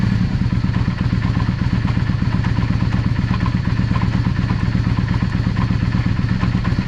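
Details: Yamaha XVS 650 Drag Star shaft drive, rear wheel raised: steady run with uneven low thumping about three per second; vibration when coasting mostly at 30–50 km/h, clunk on shifts, universal joint play suspected.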